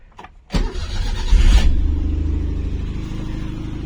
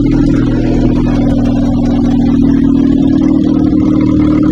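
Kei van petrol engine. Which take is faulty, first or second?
second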